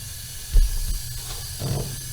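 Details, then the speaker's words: 1980 Ford Fiesta leak-down test, cylinder nearest driver's side (assumed no. 1) at reset top dead center: steady airy hiss, won't hold air despite ~140 compression; loose pushrods noted, owner suspects a stuck ring, unconfirmed. "the one closest to the driver's side which i assume is cylinder number one and no matter what we did it just wouldn't hold"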